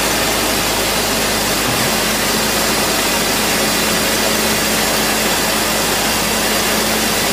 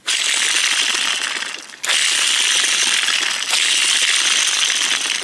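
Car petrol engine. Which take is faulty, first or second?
second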